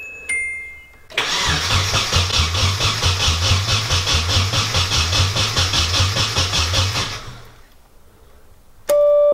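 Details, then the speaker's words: Car cranking with no start: the starter turns steadily at about two and a half turns per second for six seconds with no firing at all. No fuel is reaching the engine; the fuel pump is not wired. "Sounds like we might not be getting fuel. I found our problem. Uh, we are getting absolutely zero go- go juice."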